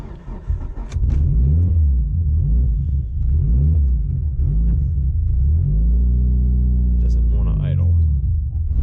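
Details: Evo just changed from thick VR1 to OE-weight Amsoil, cold start: revs surge and sag unevenly with throttle held open, never settling; won't hold idle on its own.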